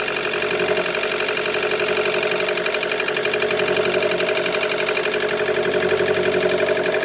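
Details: 2013 Chevy Volt petrol engine idling with an uneven, lumpy pulse about four times a second, a misfire; code P0101, not fixed by MAF, plugs or coil pack; engine shuts down, poor power above 70 mph.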